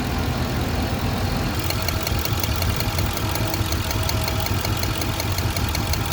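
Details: Petrol engine idling with an uneven low thump and sharp regular ticking from about two seconds in; ignition coil misfire suspected, not confirmed.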